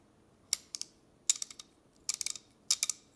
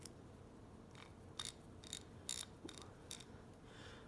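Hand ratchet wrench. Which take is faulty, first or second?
first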